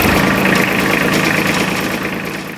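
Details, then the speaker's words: Iseki SIAL 243 diesel compact tractor (E3CF/E3CD engine), refurbished Vietnam import at about 40 hours, started after 6–7 seconds of glow plug: it rattles into a steady, even idle with no misfire or knock; normal diesel idle. "so how to start the tractor put the glowing to the left the structure needs about 6 or 7 seconds and then start it"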